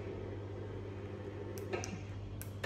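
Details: Motorized vertical blind after programming the remote, raising and lowering: smooth, low, steady hum with a couple of light clicks near the end. The motor runs cleanly with no grinding or straining.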